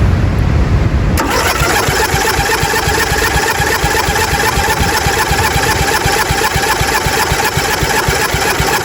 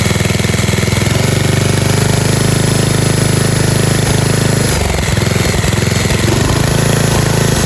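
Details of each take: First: 1997 Murray 30575X31A lawnmower, engine un-seized and reassembled after spark confirmed, before throttle body cleaner: steady starter churning about four beats a second, no firing; cranks but won't start, spark not rechecked. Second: 1997 Murray 30575X31A riding lawnmower engine, just un-seized, head refitted missing two broken bolts, cooling shroud off: steady even low putter with no misses or knocks, running well.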